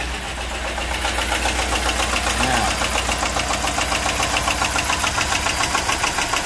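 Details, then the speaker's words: Chevy Avalanche 5.3 AFM/DOD V8 with suspected bad lifters, after lifter release trick attempt: uneven lumpy idle with fast steady tapping knock, three or four a second, and a skip; rough running with knock, lifters suspected. "Yeah, she's still noisy. It does have a little skip to it. Oh yeah, she sounds like junk."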